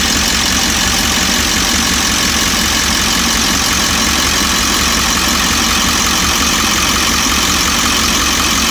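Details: 1998.5 Ford E350 7.3 diesel, warm idle after the engine warms up, shortly after the tank was dropped for low fuel pressure and found badly delaminated: a busy, uneven clatter with a knock; owner wonders about injector or cackle, cause unknown.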